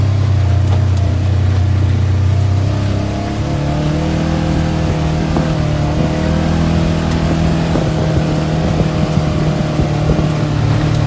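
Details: 2017 Polaris General: the engine revs smoothly while a few sharp, irregular pops come from the front end now and then. The source of the popping is not yet identified.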